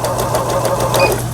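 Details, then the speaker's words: Riccar Stylist 9000 sewing machine after full teardown and repair, sewing zigzag stitch (pattern 5): fast, even needle chatter over steady motor hum, smooth rhythm, no clunks or grinding; working normally. "네, 지그잭 바느질이 5번이네. 5번 스티치에 지그잭 바느질을 할 수가 있는 거고,"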